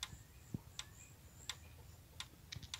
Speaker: chávez este sonido es lo que es un clavo y un claro indicativo de que tus balancines y se mueve un muy fuerte